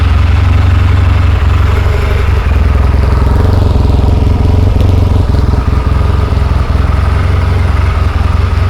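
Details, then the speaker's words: Rebuilt 1972 Yamaha XS2 XS656 twin with all new seals and new battery, started easily: deep, steady, even idle with smooth low thump, no knocks or rattles; healthy. "Okay, so let me turn the gas on. We'll try to crank it again. Cranked up real easy."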